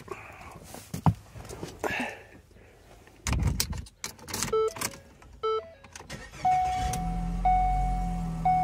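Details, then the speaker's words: 2014 Ford Escape 1.6 turbo after starter motor replacement. After door and key chimes, the engine cranks briefly and catches cleanly into a steady idle; starter sounds healthy, fix confirmed. "there we go all right that is a confirmed fix"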